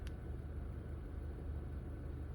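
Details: 2015 Honda Fit at 88,000 miles, after valve adjustment, intake valve cleaning, oil change and VTC spring replacement; heard from inside the car. Quiet, soft, even low hum with no stumble or shake, almost no vibration; smooth, normal idle.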